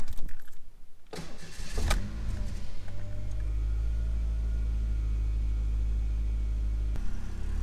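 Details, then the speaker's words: 1991 Ford Mustang coupe, 2.3 four-cylinder automatic, before removal for a 5.0 swap: brief cranking, catches with a rev, then a smooth, even idle with no knocks; normal idle. "Listen to that 4-cylinder purr. It's gonna be the last time you hear it running,"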